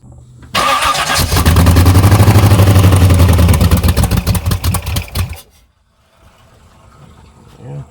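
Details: S10 Blazer with swapped SBC 383 V8 and MSD ignition: cranks and catches with lumpy, uneven idle; cylinder misfire, cylinders five and six suspected dead.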